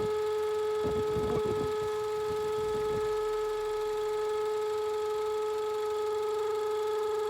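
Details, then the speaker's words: Range Rover brought in with check engine light and a noise like a vacuum leak; steady clear high whistle over quiet idle, a few knocks early, loudest at front in middle of intake manifold; traced with a hose to a broken hose inside the manifold center. "aquí llegó un cliente con una con una camioneta r Rover atrás con el checken gin y un ruido Como si tuviese una fuga de vacío"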